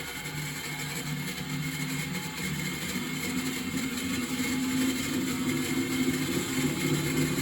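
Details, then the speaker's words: Miele WS5073 professional washing machine on spin test, no water, after fixing a hose hitting the drum spider/pulley: steady low hum with rough uneven drone; motor sounds noisy, cause unclear. "problem to remedy the hose was hitting the spider the pulley on the back the motor doesn't sound great at all"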